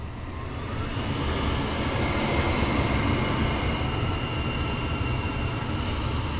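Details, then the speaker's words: Noritz N-0751M-DV instant hot water heater after the Error 66 bypass valve (water servo) repair; the display shows burner on, with an even steady roar, low rumble and rush of hot water, no popping or surging. Normal burner operation. "it says burner on that is definitely hot water coming out of there and hot water going down there"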